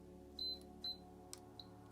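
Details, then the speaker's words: Canon AE-1 Program battery check: two short high beeps and a faint blip instead of one steady tone. The battery is too weak and gets discarded. "oh now the sound was a bit longer so like this is not sufficient ient this battery goes straight to the bin"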